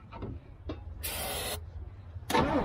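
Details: Old GMC gasoline bucket truck cranks with the starter churning in uneven bursts, no catch or firing; crank no start, cause not yet known.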